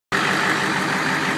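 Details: Light fast ticking over a steady idle hiss; owner unsure whether it is a lifter or an exhaust leak.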